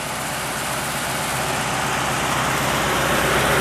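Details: Truck running on wood gas from homemade gasifier: steady, even idle with a smooth low rumble and no misses or knocks, after fixing fuel starvation, idle earlier noted high; normal idle.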